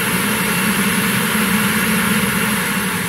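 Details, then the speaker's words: VW Gol G2 electric radiator cooling fan, run by directly joining its two wires as a test for a fan that won't switch on: steady, even rush of air, no knocks or wobble; fan motor runs smoothly. "Então esse aqui é um jeito de você testar se por exemplo teu eletroventilador não tá ligando"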